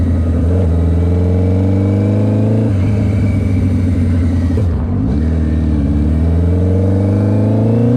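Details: GS750 four-cylinder cafe racer with a new custom exhaust, rebuilt carbs and fresh dyno tune, first ride: a smooth howl climbs cleanly, eases off, then pulls again with no misfire or rattle. The engine is healthy and sounds sweet.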